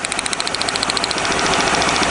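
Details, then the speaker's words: 1997 Lincoln Continental V8 with a pulsing misfire, plug wires pulled one at a time while idling: the idle stays unchanged with rapid sharp snapping from the pulled lead, so that cylinder isn't firing; suspected faulty long-post plug wire. "yeah you can hear that pulsing Miss so here we go oh that one's working good next that one's working good notice the sound in the engine those are good ones"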